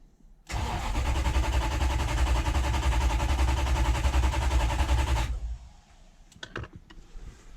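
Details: Toyota 1UZ V8 hot rod, first start attempt after fixing a poor crank angle sensor connection: a steady fast starter churn for about five seconds with no catch, then a faint exhaust pop; cranks but won't fire, spark being checked.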